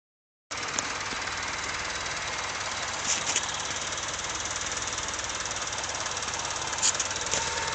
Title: Honda Civic Seafoam Exhaust Leak